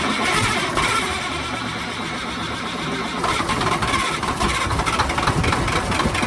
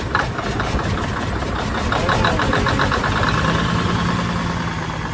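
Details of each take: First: 1987 Freightliner wrecker with a Big Cam Cummins diesel, started after sitting about 1.5 years with silicone spray in the intake: slow laboured cranking, then it stumbles into a rough uneven run; accelerator sticky. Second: 1987 Freightliner wrecker with Big Cam Cummins diesel, first start after sitting about a year and a half (silicone spray used to start): even, steady low-rumble idle, no misses or knocks, fan turning, accelerator a little sticky; normal idle.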